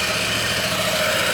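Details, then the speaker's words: Yamaha NMAX scooter brought in for a strange engine noise (not the CVT; exhaust and catalytic converter replaced without fixing it), running during a full service: smooth, round, even idle, no knocks or rattles, normal. "então levamos o corpo de injeção e ligou a moto o barulhinho redondo né sem programa"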